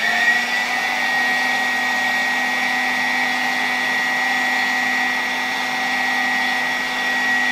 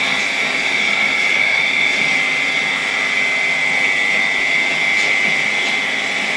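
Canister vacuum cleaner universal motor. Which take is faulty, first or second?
second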